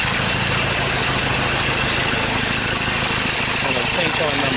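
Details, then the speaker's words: 2013 Ford Ranger T6 diesel that lost power and stalled after a service: rough idle stumbling with uneven lumpy beat under heavy hiss, sounds like a misfire; two cylinders not firing properly as their injectors aren't contributing. Injector misfire. "all right this is a diesel vehicle see how they Ravens so that sounds like a misfire"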